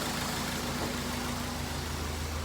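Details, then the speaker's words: 2003 Honda CR-V after a timing chain repair, idling: low, steady, even rumble with no knocks, misses or rattles. No check engine light and no stored trouble codes on the scan tool; normal idle. "can see how well this thing's running and how there's no codes yeah still no check engine light"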